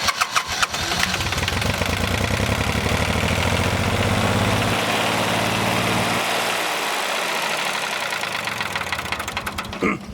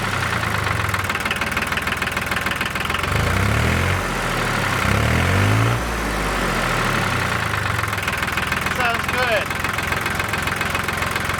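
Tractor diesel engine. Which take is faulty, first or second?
first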